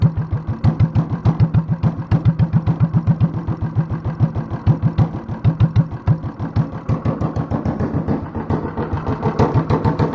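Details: Honda clone single with stage 1 kit, header, 10-pound cast iron flywheel and cam work, light load, idled very low: deep slow lopey, slightly uneven thumps a few per second; hit-and-miss-style slow idle.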